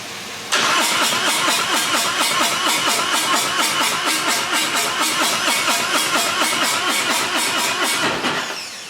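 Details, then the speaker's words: Harley-Davidson Road Glide that won't start, jumped from a truck with cables for extra voltage. Earlier it briefly started then shut off. Strong, even cranking at about four beats a second for eight seconds, never firing. "since we tried to start it and it was cranking up and literally cut on it shut back off at the end"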